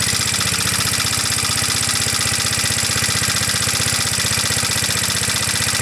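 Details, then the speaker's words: Onan PE-88 military power unit (350 W, 115 V 60 Hz) just after an easy electric start on a 12 V battery, no load yet; quick, even single-cylinder putter, no misses or knocks. "quite an easy start on the battery spins it over pretty quickly"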